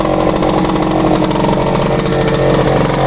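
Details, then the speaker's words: Vintage Echo PB-400E backpack blower running true fuel mixed 32:1, just started on choke in two pulls: a steady, buzzy two-stroke drone holding an even pitch without surging or sputtering. Normal running. "oh did you hear the that how about that two PS not too bad not too bad for a a vintage Echo back back lower yeah this runs actually I'm running true fuel in that blower mixed at uh 32 to1"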